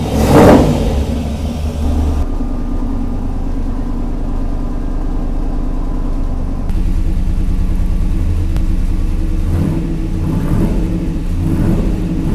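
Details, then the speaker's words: 1948 Mercury pickup V8, first start in 50+ years, fuel in carburetor bowls: brief stumble then steady even rumble with crisp throttle pickups, good oil pressure; slight hesitation on startup, mixture possibly lean, needs tuning. "right. So, Mercury is running and pretty good, I might add. has a little bit of hesitation on startup, but if I really give it gas, it starts up."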